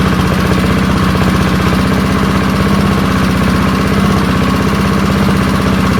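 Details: Early-1970s BF Goodrich push mower's small engine, a barn find that sat for years seized, revived after freeing up and fitting the carburetor diaphragm; steady, even chatter at constant speed with no misses or surging, running smoothly.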